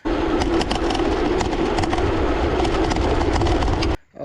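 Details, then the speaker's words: G-Force S41 folding e-bike, 48V 10.4Ah battery loose on one side in its frame mount with no liner underneath, rattles sharply and irregularly over rolling noise while riding. "like a little bit um because it's a little bit loose on this side and i guess the manufacturer forgot to put some uh soft things like they usually put some liner underneath"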